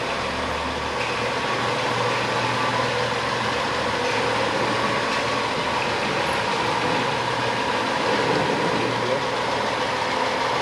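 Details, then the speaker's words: 2011 BMW X5 3.0 N55 twin-turbo, 80,000 miles, previously seized engine now repaired, idling after first start: even, steady, no knocking or ticking; no codes, temperature good, runs flawless — normal idle. "it runs flawless and it's not knocking or anything there's no codes i checked the codes the temperature is all good and uh it's running awesome"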